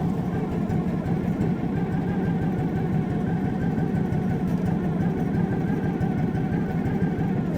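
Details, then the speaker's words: Kawasaki-engined machine with improvised idle screw bumping the throttle cable, oil light on: slow, lumpy idle barely ticking over, possibly below the manual's 1200-1300 rpm; low idle speed. "so we'll start it up and I'll let you hear how this thing is just barely ticking [Music] over"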